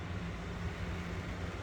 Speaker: See, there's like little humps that you can hear. Like you can hear it. That's where everything like starts rattling.